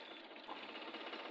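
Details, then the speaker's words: Suzuki K6A small petrol engine idling unevenly and shaking, misfiring with one cylinder dead; the number two injector showed no sign of working and the plugs are being checked. "you can see the sound of this engine is not okay this is firing engine is not steing well as you can see it's shaking engine is shaking"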